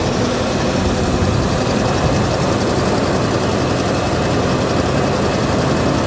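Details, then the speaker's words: Vehicle at Copart salvage auction, started after sitting with rotten, varnished gas: steady, even idle with a constant low rumble and no knocks, misses or surging; runs surprisingly well. "as she runs well i'll give her that she does run well okay i honestly didn't expect it to run that good not at all"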